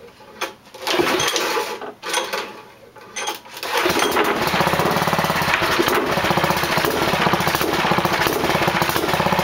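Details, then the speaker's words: 6hp single-cylinder small engine restarted after five years of sitting: a few pulls, then an uneven, lumpy chug that keeps hunting, with black smoke; carburetor needs redoing; rough running from faulty carburetor. "I got to it still chugs black smoke so I have to redo the carburetor"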